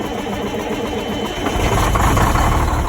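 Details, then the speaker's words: Cummins diesel in a Sterling semi truck, sitting 8 years, started after fixing a loose inline fuse; catches and settles into a steady, even idle clatter with oil pressure. Normal idle. "He's running. Oil pressures. Yeah, boy. Well, I'm gonna let this run for a little while."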